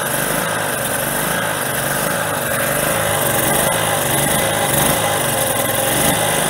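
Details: Tri-fuel generator running on propane through the tri-fuel carburetor, choke fully open, no load yet: uneven, wandering rough idle, cause not yet found; a resistive load is to be added next.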